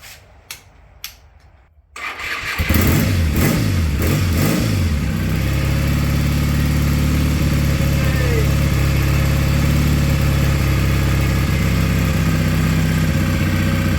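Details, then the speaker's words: Triumph T140/T120 twin, after an in-line 5-micron oil filter install and with oil pressure shown on the gauge and both carbs tickled, gives a couple of turnover attempts. It then catches and settles into a steady, strong idle with no knocks. "Until I've got oil pressure, which I've got on my trusty oil pressure gauge. Tickle on each side, and she should go."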